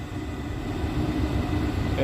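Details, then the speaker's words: Rheem gas pack package unit, which makes a loud sound at every start, jumped into heating mode: inducer runs steadily, purging the heat exchangers, then a spark and the burner catches smoothly with no boom or rough puffing; clean, normal ignition. "now the inducer is running purging the changers inside the exchangers I'm gonna hear the spark and then the gas call turn off there's a spark"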